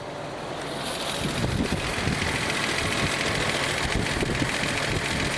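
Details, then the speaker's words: 1979 Datsun 280ZX inline-six that sat for years with old gas, fuel starvation fixed, fuel pressure holding 34 psi: fairly even idle behind wind rush, no stumble or miss, seemingly firing on all six, with throttle response. "i think it's running smooth holy [ __ ] [Applause] we got throttle response wow"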